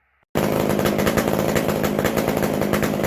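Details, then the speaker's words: McCulloch Super Pro 125c chainsaw after cleaning, new intake boot, new-old-stock muffler and idle mixture adjustment: fires and holds a steady, even high rev with no surging or stumbling; air leak gone, runs much better. "That sounds a lot better."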